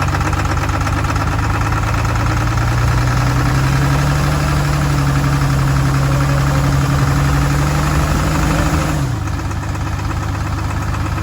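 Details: Hino J08C diesel truck engine, believed overheated, started roadside after oil was poured into the intake: deep rough run with a loose knock near three per second under heavy drone, heavy blow-by and back compression; seized pistons suspected, not confirmed.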